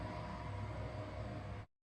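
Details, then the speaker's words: Clutch motor on an industrial sewing machine running, compared with a Canine HM-750T servo motor that stayed under 61 dB background: steady loud hum with faint constant whine, cutting off cleanly; clutch motor raises noise to 75 dB. "the background noise is 61 db after turning on the servo motor the noise did not increase that means the noise of servo motor is lower than the background noise"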